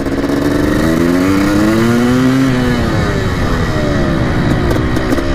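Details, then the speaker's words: 1987 Yamaha YZ 490 two-stroke after repair, on a test ride: revs cleanly, pitch climbing smoothly through each gear with no bogging, better pickup; the clutch slips a little. Normal running. "a lot better pickup just sounds a lot better things sounds much better definitely cleared out a lot more"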